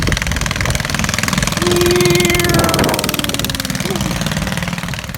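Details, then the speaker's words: 20HP Kohler lawn tractor engine swapped into a minibike, revived after 15 years sitting, shortened original exhaust: quick slightly uneven open-exhaust idle patter, loud but steady; healthy, a little rowdy. "she's she's a little rowdy just a little bit she sounds very pretty"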